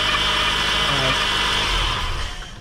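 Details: 2014 Honda Accord Earth Dreams engine running: steady high-pitched whirring grind from the belt area, easing as it winds down; the belt tensioner bearing was suspected, but the water pump bearing made most of the noise, and both were replaced.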